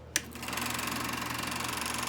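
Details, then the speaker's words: Kodak Pageant AV-126-TR 16mm sound projector with the switch turned to motor and the lamp dead: a click, then the motor spins up to a fast, even whirr with a steady flutter. The projector motor runs normally. "and then to start first you got to do is focus and then and then it's operating it's working then you can watch your film"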